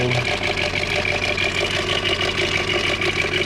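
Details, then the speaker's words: 2002 Volkswagen EuroVan VR6 idling with busy, uneven metallic rattle about three beats a second, seemingly over the manifold; started suddenly, disappears when revved, returns at idle; Seafoam added; owner wonders about stuck lifter, cause unknown. "i got this uh 2002 volkswagen euro van and it is making a weird rattling noise let's see i'm going to start it up does not sound like the sound's coming from this side definitely sounds right over this manifold"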